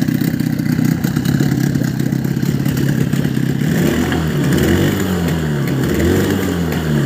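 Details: Small outboard motor after fixing a fuel-system air leak (sealed filter threads, flipped the reed plate) that caused sputtering; it runs with a steady even beat, rising and falling slightly with throttle. Normal running.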